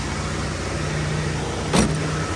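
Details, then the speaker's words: Vehicle with 250,136 miles, not a cold start (about 65°F), in neutral; previously idled at about 2,000 rpm. Catches and settles to a fast steady idle around 1,100 rpm with some valve noise; idle higher than it should be. "1100 well that's slightly higher than what it probably should be but that sounds good"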